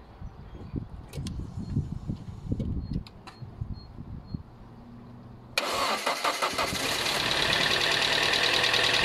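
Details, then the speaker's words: ZX, oil-leaking engine started with a booster pack: hesitant crank, then idles with a steady deep knock around three per second under the clatter; bottom end gone, needs rebuild. "and it's a little bit painful to listen to so that's why I don't want to run it long but basically bottom ends gone it's leaking oil and as a result it needs engine rebuild"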